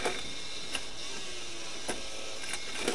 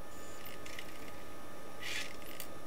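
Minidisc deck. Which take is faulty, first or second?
first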